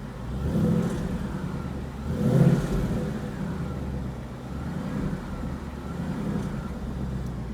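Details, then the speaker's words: 2020 Ford Mustang GT with Ford 10-speed automatic, exhaust in quiet mode, revved twice: faint whine rising and falling with engine speed, normal for Ford 10-speed transmissions, louder on some cars than others. "hear that whining noise that winding noise is completely normal all the ford tin speeds have this wine some cars the wine will be louder than others and some cars you can barely hear the wine"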